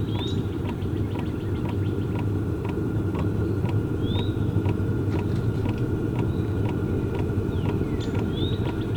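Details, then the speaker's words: Two Track Nation Hot Box camper diesel heater firing up: a steady low combustion rumble with a light, regular tick about twice a second from the pump motor, running until it pumps heat out; normal start-up sequence. "so now we're going to give you guys a quick glimpse into the firing and startup sequence for this all the way up into the point where it's actually pumping some heat out into the"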